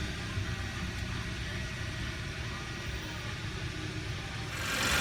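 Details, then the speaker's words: 2011 Hyundai Sonata, high mileage, after quick repair of spun number one rod bearing from running low on oil: steady, even, smooth idle with no knocking; bottom end sounds healthy, normal idle. "normal acceleration seems fine let's park it that sounds good"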